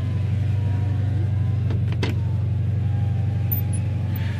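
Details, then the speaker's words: 2013 Subaru BRZ Limited power window: a low, steady motor hum with a thin squeal as the glass travels. It squeaks and squeals whether clean or dirty, like the glass being scratched against the seals. "so it's it's like getting scratched while it goes up and down whether the car is clean whether the car is dirty um i mean you can wash the windows and then let it dry and then roll it down it'll still squeak and squeal like that"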